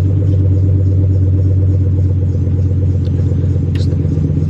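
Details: Buick LaCrosse Super, fresh cold start at idle: loud deep drone with an uneven lumpy pulse, every warning light on; owner believes it needed a harmonic balancer, cause unconfirmed.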